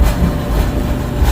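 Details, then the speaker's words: Dryer run after repairing a high-RPM screech in the drive system: a steady low droning rumble with a buzzy edge; suspected sheet-metal structural vibration, probably near the heating element, possibly the exhaust line; not confirmed. "and that's what I'm listening to right now structural vibration sheet metal vibration I'm thinking it's probably coming from this element"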